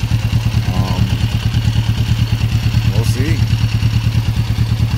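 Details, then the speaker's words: 1994 Kawasaki Vulcan 500 twin, 12,266 miles, air filter clean, carb still leaking slightly awaiting rebuild kit; steady even low thrum, no misses, mechanically a bit loud; normal idle. "but i think that uh i think that sounds good it's idling really good"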